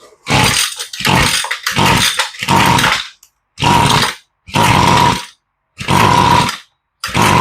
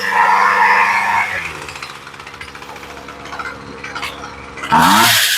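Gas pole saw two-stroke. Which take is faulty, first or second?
first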